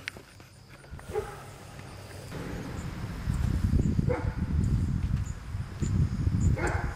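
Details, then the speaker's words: 1997 Jeep Grand Cherokee 4.0L inline-six after replacing the camshaft position sensor (distributor pickup coil) that caused a crank-no-start: low even rumble as it catches and settles into a steady run; fixed. "well as you can see that was it it's up and running now"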